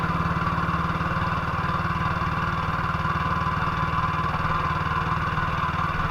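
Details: 1958 BSA C12 single-cylinder on a road test after a misfire fix; the misfire had earlier caused a breakdown, and the battery tested fine at 6.3 V. Steady, even thump at about four beats a second with no stumbles or dropouts. Sounds like it used to: normal running.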